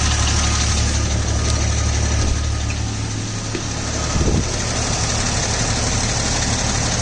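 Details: 2000 Jeep Cherokee XJ: light regular tick about three per second over the idle rumble, from the rear bottom of the engine, slightly louder when hot, gone off idle; owner suspects the flexplate, unconfirmed.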